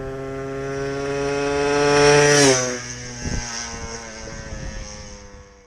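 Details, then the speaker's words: Finished Benelli Blaster two-stroke build on shakedown runs in an empty warehouse parking lot: buzzy engine climbs in pitch, then drops sharply as it passes by and fades, revving clean with no misses; normal running. "we'll try and get some run video here it just be few minutes of run video just in the parking lot here but at least you can hear it run"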